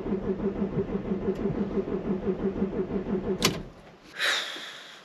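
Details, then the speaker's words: 2002 Audi A6 C5 Avant Quattro 2.5 TDI V6, 125,000 miles, no dash lights: sluggish labouring crank about four strokes a second for three seconds, never catches; weak battery, needs charging. "Let's crank it over, see what happens. Nada. Oh, that battery's going, isn't it?"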